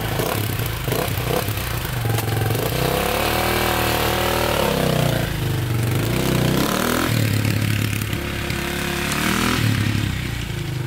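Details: 2002 KTM 400 EXC single-cylinder dirt bike (sold as a 450), first test ride after warming up, in the rain: revs climb, then sag and stumble under throttle, feeling like it hits the rev limiter right away. Bogging, cause unknown.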